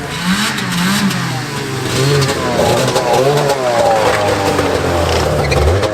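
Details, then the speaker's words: Old Arctic Cat snowmobile revived, started with fuel poured in: revs surge and sag unevenly, stumbling rather than holding a clean rev; needs carburetor work, suspected not confirmed. "It's still coming. I need a little carburetor work."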